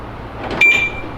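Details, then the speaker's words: BMW E92 M3 rebuild, door lock test after swapping in the door handle from a donor car: one quick, crisp clunk-whirr as the lock pulls over and the door unlocks; the actuator works normally. "so we're going to test this thing out now and see if it was just the door handle or if it's something else to see if this door is gonna unlock now"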